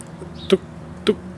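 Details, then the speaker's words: 2008 Mini Cooper Clubman R55 with rear barn door stuck closed, remote unlock pressed: only two faint sharp clicks about half a second apart and no latch release; door lock actuator not releasing, same behaviour when swapped to the left-hand door. "sound and it's not disengaging which is exactly what it's doing when i plug it into the left hand side door"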